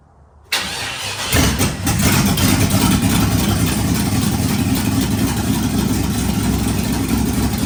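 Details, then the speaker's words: Old 4.8 Vortec LS V8 swapped into a Jeep Wrangler with Turbo 400, first start: loud, uneven, lumpy idle barking out open headers with no exhaust fitted; engine still needs a tune. "obviously the Jeep still needs a tune and it kind of sounds like crap being that it's only open header but we will get an exhaust on it once we get drive shafts in it"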